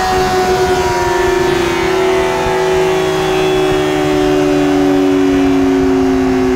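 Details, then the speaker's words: Yamaha R6 RJ11 after a cylinder-head repair with all valves new: smooth, high-revving drone easing steadily down with no top-end ticking; healthy engine, later 110.41 hp at the rear wheel. "ja motor läuft wieder hört sich gut an keinen tickern kein vergleich zu vorher ventile sind alle neu"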